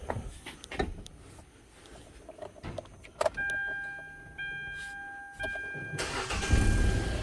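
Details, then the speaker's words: Kia Soul with a used engine from a wreck, just installed along with the transmission, still on its original oil with no coolant yet: short crank, fires on the first try and settles to a steady low run; clean start, no smoke. "I mean that's that fired right on the first click well that sounds pretty good"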